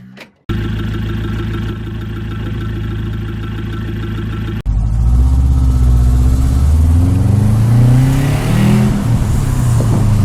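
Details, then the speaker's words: Car exhaust with a corrosion hole at or before the muffler: loud, raw, high-pitched exhaust blat at idle and on revs. "Si esto pasa en el silenciador o antes del silenciador, el ruido será muy fuerte y muy agudo. Se podría escuchar algo así."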